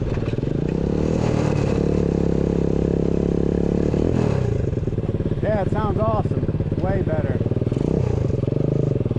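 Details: New 125cc four-speed kick-start engine in a custom Pagsta chopper with a newly made exhaust, on a ride: small single revs freely and pulls cleanly through the gears, crisp even exhaust note, no misses; healthy running.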